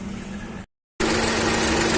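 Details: Volkswagen Polo 1.2 MPI petrol, after replacing ignition coils and spark plugs for low pickup and jerky misfire: engine idles with a steady, even hum and no missed beats.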